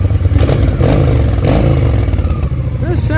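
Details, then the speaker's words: Honda VT 750 V-twin after stator replacement, on a short ride: deep steady thump, crisp throttle blips, faint sputter as carbs still need cleaning, slightly noisy chain; runs fine, charging system working. "It runs pretty good. Sounds pretty good. If I pull back, it goes."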